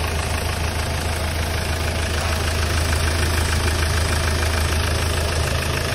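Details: Hyundai Starex D4CB diesel idling during a check for suspected blow-by: even, steady light clatter of about three beats a second, no misses or knocks; no smoke from the dipstick tube or breather, so the engine sounds healthy.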